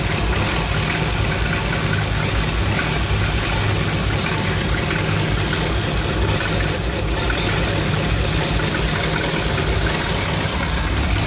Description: Issue with 1975 Dodge B200 Tradesman 200 Mopar 360 5.9L small block 2bbl rough idling and stalling when warmed up.